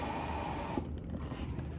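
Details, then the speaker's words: 2024 Can-Am Spyder F3L air suspension (ACS) check, with the aluminum solenoid box operated manually. A short hiss of escaping air cuts off cleanly as the valve closes; normal solenoid venting. "That's that solenoid letting the air out. The little little square box, the little aluminum box."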